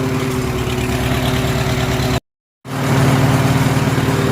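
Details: Farmall H tractor engine after spark plug side electrode was pulled out with vice grips to correct the gap; steady, even low idle about four firings a second, no misses; owner unsure he's out of the woods yet.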